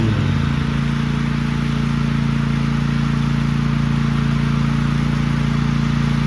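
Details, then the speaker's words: Cub Cadet ZTS2 zero-turn mower, nearly new, warmed up and mowing after a coil issue was fixed (it used to drop a cylinder after about 5 minutes): even twin-cylinder beat at high throttle under load, no misfire; it mowed well. "Well, the old Scrub Cadet did pretty good right here. It mowed good."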